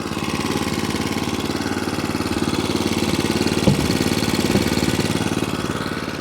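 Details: Atco Balmoral 20SK cylinder mower with Kawasaki single-cylinder engine: steady, even idle putter after full revs, about three beats a second, no misses or knocks. Normal, sweet-running idle.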